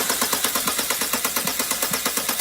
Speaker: if you can hear that loud knocking is a big warning sign. That means something is seriously wrong with your engine.